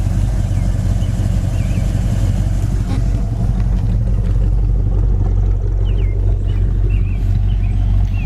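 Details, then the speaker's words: 1966 Ford Fairlane 500 hardtop, older restoration, 4-speed, idling, heard from the exhaust; deep steady even burble, no misses or ticks; exhaust sounds nice. "here again the exhaust sounds nice"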